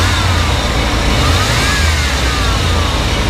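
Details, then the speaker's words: 1994 Chevrolet C2500 with 350 (5.7) V8, very clean engine bay, brakes and radiator fluid done; steady V8 rumble with light throttle blip, pitch rising and falling smoothly; sounds really good, normal rev. "sounds really good"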